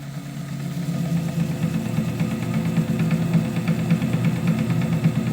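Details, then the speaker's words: 7x14 two-speed mini lathe with upgraded motor: steady motor drone with light uneven clack nearly twice a second, much worse in the other speed; chattering from known bad gears inside the gearbox. "torque now, but a little bit of clack clack. Remember in the other speed, this was clanging all over the place."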